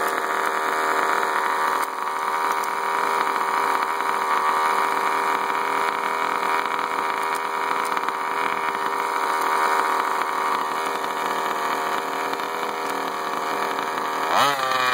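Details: Baja 5T small two-stroke engine at high steady revs after running wide open, fine metallic rattle riding on the buzz; cause not identified.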